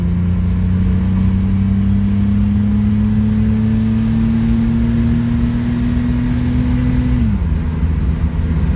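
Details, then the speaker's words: 1994 GMC Jimmy 4x4, 4.3 V6 CPI, 191,000 miles, sat six years, under acceleration: engine note climbs smoothly with no stumble then eases off, full power; intermittently it hesitates and falls on its face, not in this moment. "That's what it should do, but it doesn't do this all the time."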